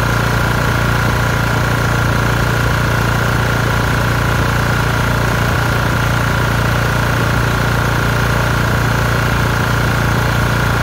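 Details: LT1040 lawn tractor after fixing white smoke from the front by resealing the valve cover gasket with silicone; steady, even idle, no misfires or knocks, under constant background air compressor hum — normal idle.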